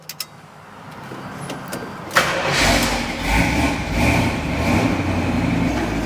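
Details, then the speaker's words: 1978 Jeep J10 Honcho, sat about 20 years, after carburetor work: a few clicks, then catches into uneven, lumpy idle running under its own power; carburetor still lacks accelerator return spring. "All right, so it seems to be working pretty good."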